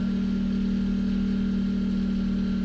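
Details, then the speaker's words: Portable generator with eco mode off powering a Tesla through a J1772 portable charger, load raised to 11 amps: steady deep loud drone at constant pitch, audibly working harder; owner fears 13 amps might kill it. "You can hear the generator working harder, 12 amps. If I do 13, it might kill it."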